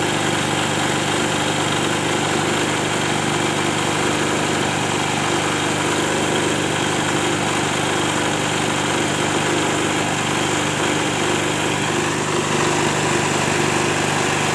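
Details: Silent diesel genset after engine overhaul: steady, even diesel drone with no knocks or misses, holding speed smoothly; running healthy.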